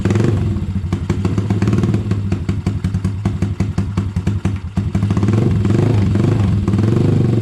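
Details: Honda ATC70 with a Piranha 140cc single, just after first start: a fast, steady putter that dips slightly midway before settling; sounds healthy, though the idle may need a little adjustment.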